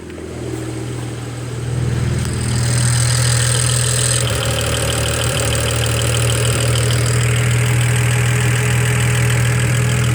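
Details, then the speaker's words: BMW 335i idling, heard from inside the car: light steady tick about four times a second over the hum, sounding like a misfire; charging malfunction warning appeared, cause unknown. "it sounds like a bit of a misfire and now this this came up it said charging malfunction here it is here's the ticking listen"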